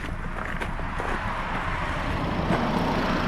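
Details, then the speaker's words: Nissan/Infiniti idling with an uneven, lumpy pulse and vibration, code P0300 multiple-cylinder misfire; smoke possibly from unburned fuel, vibration returns after revs. "but I think one that's a misfire okay right now you could you could definitely hear the vibrations let's see what's going on"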